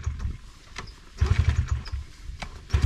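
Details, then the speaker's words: Brand new Honda 50cc electric-start bike that won't start, kicked with fuel on and choke on; brief uneven chugs fire a few beats then die, possibly flooded, hard starting traced to throttle misuse. "I don't know it might have got a little flooded if you've tried a bunch of times but I'm not super familiar"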